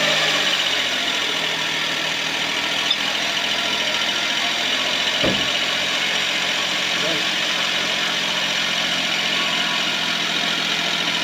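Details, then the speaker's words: Suzuki Palette wagon petrol engine idling after both drive belts were adjusted: steady, even idle with no belt squeal; the squeal had returned a month after a new belt. "Soandar na guys siya walang langitngit. So in-adjust natin yung dalawang belt."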